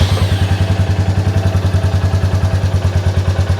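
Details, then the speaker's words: Royal Enfield Meteor 350 (J-series) idling just after fitting a DNA air filter, claimed 80–85% more airflow, before the ECU has reset: a steady, low, even single-cylinder thump with no clatter; the owner thinks it has more low-down grunt but is unsure. "I think it's got a lower down grunt there has it I don't know"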